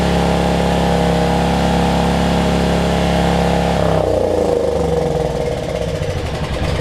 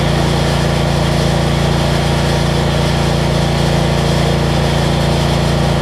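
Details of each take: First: Generac 7500EXL generator, low oil switch unplugged after it kept shutting down after 3-5 seconds, now running great: a steady, high, fast hum for four seconds, then the pitch drops away; governed speed set too high, engine overspeeding, throttle speed later slowed. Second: Generac 7500EXL generator after unplugging bad low oil switch (was shutting down after 3-5 seconds) and slowing throttle speed, ~1500W heat gun load: even steady drone, no hunting or surging; idle control much better.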